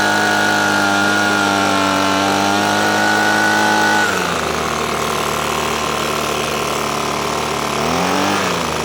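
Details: Echo PB-250LN leaf blower, two-stroke, running off choke after the bogging was cured by turning the carburetor side screw slightly counterclockwise: steady high buzz dips briefly then recovers, no bogging or dying; carburetor now set right.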